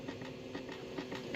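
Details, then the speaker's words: LS 5.3 swap vehicle at key-on, battery just connected: soft whirring with light ticks from the dash as the original HVAC blend door motor controls cycle; normal actuator operation. "what you hear there is the Mojito motor controls that are still in there I have not gutted the living daylights out of this thing"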